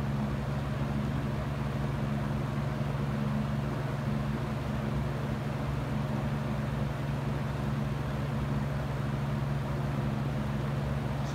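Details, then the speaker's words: Used Hurricane box fan running on low speed: steady low hum with a constant buzzing rattle. The fan shakes and is very loud even on low; cause unclear. "f is shaking quite a bit yeah it's very loud as you can see just low speed is morning than enough"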